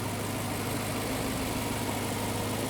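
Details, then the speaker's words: 2011 BMW E92 M3 with rebuilt S65 V8 after a blown engine, at 1,000 km of running in: deep, even burble at idle with steady rhythm and no ticks, knocks or hunting; normal idle. "It's mint. We got it a bit dirty, but the engine sounds wonderful. Smooth as silk. Very clean. Very good."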